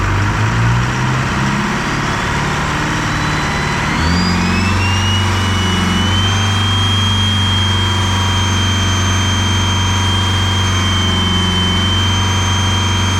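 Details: Detroit 4-53T turbo two-stroke diesel after swapping failed 9G90 injectors for tuned 7A77s and replacing a loose suction hose clamp; rough start, then revs rise with climbing blower whine and settle into an even steady run; normal idle and revving.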